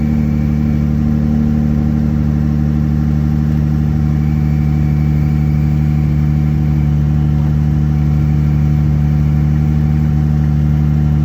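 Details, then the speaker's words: Jeep Gladiator, manual, at cold start, clutch out in neutral: steady idle with a constant squeal riding on it; cause not pinned down, owner suspects a manufacturing fault, transmission also had shifting problems. "Okay, so you guys heard the squeal, but it done that on a cold start. So, I mean, I just don't think it's right."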